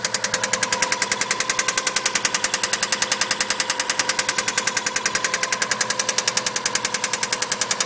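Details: Subaru EJ20 at idle: sharp metallic knock, very even at about three and a half per second; internal engine knock, cause unknown.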